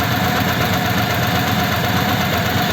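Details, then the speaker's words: Old French flathead engine in a 1941 pickup, first start, cold at about 8 °C, fresh 20W-50 oil: steady idle with a faint constant whine from mismatched cam and crank gears (a gear was changed before); owner expects it may improve. "now I can hear that it's got a wine and that is a wine that you get with a mismatched Cam and crank gear"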